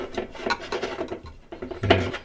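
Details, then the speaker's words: LG top-load direct-drive washer WT7800CW that won't sense or wash: agitator twisted by hand makes dry uneven rasping and grinding and wobbles loosely, agitator disconnected from drive shaft. "it shakes and kind of moves all over the place, not really sturdy. That means that your agitator is not connected, which it will not allow it to sense."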